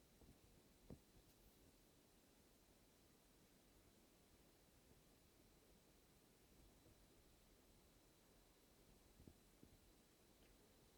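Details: 2016 MacBook Pro: single sharp pop from a near-silent laptop, then two fainter ticks; pops occur when cold, randomly, and when touching the lid while warm; Apple support could not reproduce it.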